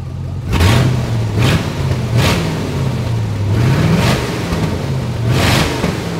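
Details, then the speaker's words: 1992 Chevrolet Corvette with restricted catalytic converters and O2 sensors not working, stuck in open loop: throttle blips bring a harsh, raspy roar swelling with revs; severe exhaust leaks at the manifolds near the O2 sensors. "i'm not going to i'm not going to troubleshoot an oxygen sensor problem on a car that has the manifolds that sound like they're literally disconnected"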